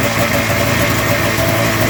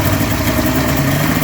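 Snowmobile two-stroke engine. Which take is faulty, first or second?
second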